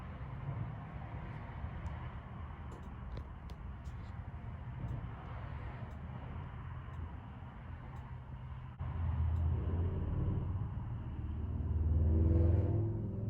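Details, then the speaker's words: Forest River Surveyor Legend 240BHLE RV refrigerator on propane, no-gas light: igniter ticks about three clicks a second under a low hum, then a soft whoosh as the burner lights after cycling on-off five times to purge air from the gas line. "I can hear it clicking back there. The igniter light's going."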